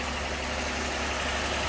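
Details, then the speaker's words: 2018 Jeep Grand Cherokee 3.6 after replacing a whirring water pump, in a cooling system where stop leak had been used; a smooth, even, quiet idle with no whirring or rattle on top. "Oh, nice and quiet. That's what I like to hear. Nothing. Other than just the engine running."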